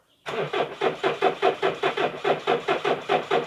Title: kia carnival 2007 A/T no start, cranking only (multiple trouble)